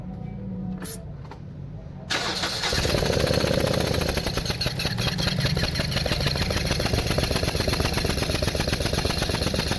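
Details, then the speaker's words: 2016 Toyota Corolla Grande 1.8, 4-cylinder, that misfires and stalls when put in gear: uneven, stumbling idle of about four pulses a second with one cylinder dead; coil and plug are fine, so a clogged fuel injector is the cause. "इसका प्लग भी ठीक है और इसकी कोयल भी ठीक है। अब जो फॉल्ट है वो चेक करते हैं, इसका फ्यूल इंजेक्टर खोलते हैं।"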